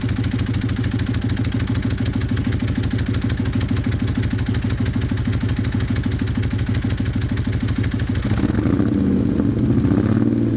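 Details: 1997 Dodge Ram 1500 with misfire but no check engine light; uneven stumbling idle with lumpy low pulse about three per second that never settles, then a rev near the end.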